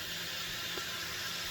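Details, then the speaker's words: 1.3 HP DC motor newly swapped into a KitchenAid 7 Qt Pro Line / 8 Qt Commercial mixer, bench-tested before housing goes on: smooth, even high whir with no knocking, rubbing or grinding, purring quietly; healthy motor. "so let's go ahead take a little listen here oh it's purring like a kitten listen to how nice and quiet that is"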